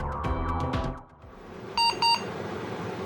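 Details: 386 DX/40 motherboard with battery corrosion and intermittent booting: fans and drives spin up, then two short high beeps a fraction of a second apart; POST error, FDD controller failure reported, cause suspected corrosion or bad solder joint.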